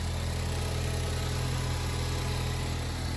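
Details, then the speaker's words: Ford Focus ST Mk3 estate after an accident, first running again, warming up at idle; even, low steady hum with no misses, knocks or ticks; engine sounds healthy. "no it absolutely sounds great but we're going to let it warm up a bit um and then we'll uh give a little sound test I think engine sounds absolutely super"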